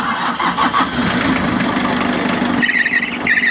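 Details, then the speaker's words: Mitsubishi L300 right after start: loud wavering high squeal from drive belt despite belt being tight, caused by alternator pulley intermittently stopping and slipping; vehicle also has hard brake pedal with weak vacuum. "So ayan nga maingay nga ang kanyang belt kahit na mahigpit ang kanyang belt."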